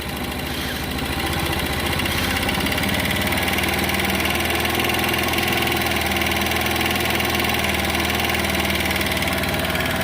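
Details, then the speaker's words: GY6 scooter engine with unusual tapping (chain, rockers checked fine), idle set too low: steady rapid putter from small single that lifts and smooths as idle screw is turned up; takes full throttle; low idle speed. "I still need to adjust the idle a little bit, but takes full throttle. Like I said, I need to turn the idle up just a tad."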